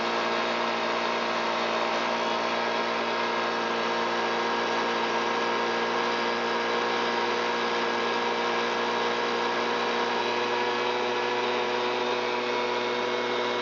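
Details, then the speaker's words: Stihl BG86 handheld blower, commercial with likely thousands of hours, after repair of fuel leaking from the muffler: steady high-pitched drone held at full throttle to clear fuel from muffler and crankcase. New carburetor, fixed fuel tank vent, cleaned spark arrestor; runs normally. "It took the engine a moment to clear all of that fuel out of the muffler and out of the crankcase, which is why I just held it full throttle and let cylinder head temp come up and let it get cleaned out inside."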